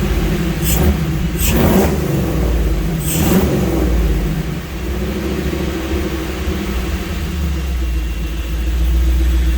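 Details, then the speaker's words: Jeep V8 with multi-port fuel injection, new exhaust, after correcting a tune wrongly set for throttle body injection that caused a serious miss: quick throttle blips over steady low rumble, all 8 cylinders even, no miss. "All 8 cylinders are kicking. Nice and smooth, sounds good. It sounds really nice."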